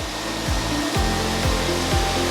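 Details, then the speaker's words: PALLMANN Spider three-disc planetary floor sander sanding hardwood; its sensor adjusts the RPM to contour to the floor when it hits high spots. Steady whirring drone with the pitch dipping and recovering about every half second: normal load-dependent speed change. "You might hear the Spider adjusting its RPMs. It actually has a sensor on there where it will actually adjust and contour to the floor."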